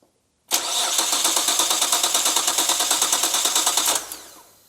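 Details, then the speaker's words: Imported Nissan GT-R project car cranking: starter churns evenly about three beats a second for 3.5 seconds but never fires; fuel pressure confirmed, so suspected electronic fault such as crank angle sensor, unplugged ECU or immobilizer, not confirmed. "It's not that. And then and we have fuel pressure. We definitely have fuel pressure now."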